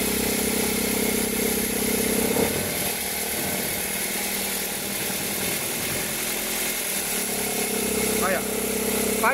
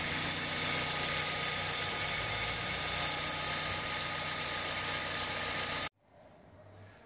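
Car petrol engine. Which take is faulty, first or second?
first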